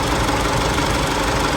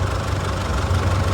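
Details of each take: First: Isuzu D-Max 4JK1 diesel that shakes, lacks power and smokes black: rough, uneven idle with a harsh knocking clatter and shake; injectors found leaking and clogged. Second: Isuzu D-Max 4JK1 diesel, previously shaking, sluggish and smoking black, at idle in neutral with A/C off after repair and reassembly: steady, even clatter and smooth low rumble, no misses or shake; a slack belt was then noticed.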